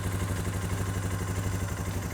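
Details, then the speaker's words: Suzuki King Quad 450 ATV idling during fluid service after a cooling system repair; oil filter snugged a half turn and now dry. Steady, even low thump with no misses, knocks or rattles: clean, healthy idle. "There it is. Starts like a charm. It's the best running bike I've ever had."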